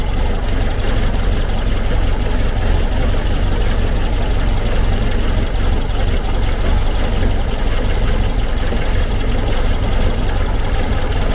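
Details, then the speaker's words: 1970s VW Type 2 Camper engine during carburetor tuning: uneven, loping idle around three pulses a second, running poorly; vacuum leak suspected, not confirmed. "be the brake booster obviously is going to kill the engine but you're still running like a pig"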